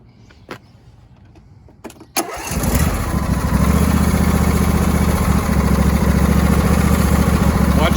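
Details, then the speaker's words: Husqvarna YTA 24V48 tractor with a Briggs & Stratton Intek V-twin and single-barrel carburetor: a few clicks, then it starts and revs high, speed wavering up and down. The engine is hunting at higher revs; cause not yet confirmed. "rev it you can hear it hunting at the higher revs"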